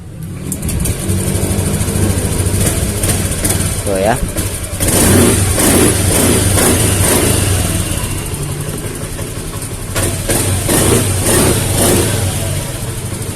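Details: Honda Beat FI scooter, previously hesitating on throttle despite new injector, fuel pump pressure over 60 after fix; picks up cleanly on two throttle blips, back to idle without stumbling; normal revving.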